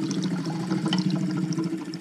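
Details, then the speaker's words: Junk 1952 Kenworth Pacific bus, Ford Super Duty 534 V8: new electric fuel pump hums while fuel gurgles and pours into the carburetor; stuck float lets it overflow and drip out the side. "sounds like something's overflowing. Yeah, I think we have fuel pouring straight in. Got fuel dripping out the side. Looks like this float is stuck and it's overflowing right there."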